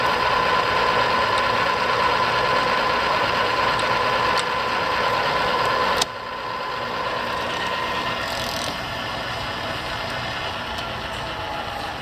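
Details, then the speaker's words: Arboga RLM3508 radial arm drill (40" x 9", 4 feed rates .004–.016") with spindle power feed engaged and feeding down. Steady mechanical whir, then a sharp single click as the feed gearbox drops into a new range, then smooth running; normal gear engagement. "Feeds are very strong. I don't know if you guys can hear it, but every time you hit a gear range, it'll click in."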